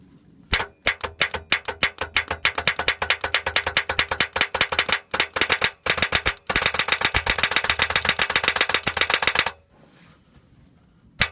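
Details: New 2015 Ram EcoDiesel with 124 miles on a 9-degree morning; starter solenoid terminal jumpered manually and rapidly: bursts of sharp metallic clicks, several per second, with no cranking; second such no-start; starter not engaging.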